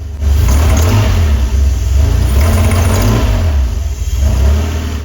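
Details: DeLorean DMC-12 with Bosch K-Jetronic fuel injection, pre-warmed not cold: revs up then bogs heavily on throttle return with black smoke from the pipes; rich running, main problem a pin the air plate pushes against.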